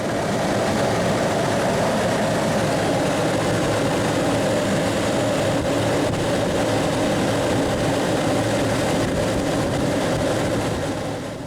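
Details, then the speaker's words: Chevy Astro/GMC Safari 4.3L V6 running after a new serpentine drive belt was fitted, replacing a cracked, dry one; the tensioner now sits in the correct position. Steady, even run with no squeal or chirp, so the belt drive is normal. "now the new belt is lined up right exactly what a new belt should be tensioner position right there only thing I need to do now is start it up"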